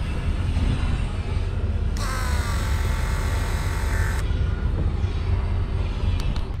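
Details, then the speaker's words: Caterpillar 966H loader, Cat ACERT C-11 engine, at its 250-hour service after a fuel filter change. With the bleed tap shut, the electric priming pump gives a steady whine of about 1–2 kHz for two seconds over background rumble; it loads up, showing the fuel system is primed. "so you just shut your tap off and start the little pump up and you'll hear it load up and that's when you know she's primed and ready to go"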